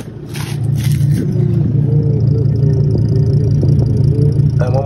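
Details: 2006 Sprinter 3500 (T1N) diesel idling after start: heavy, uneven chug at the tailpipe, exhaust shaking and coming out in puffs instead of a smooth flow; light compression suspected, coolant leak on exhaust manifold suggests possible head gasket, unconfirmed.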